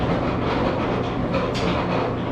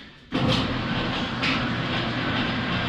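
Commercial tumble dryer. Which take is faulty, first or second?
first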